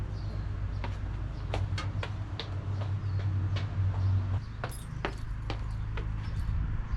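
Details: Chevrolet Astro van, first start after replacing sagging motor mounts: the engine catches and settles into a steady, even low idle with only a few light clicks. Normal idle.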